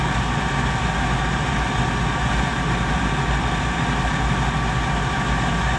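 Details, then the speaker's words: Goodman GPG gas pack, diagnosed for a bad spark ignitor, started with control-board jumpers in after rerouting; steady low rumble with an even rush of air and no clicking: normal startup. "okay everything started up"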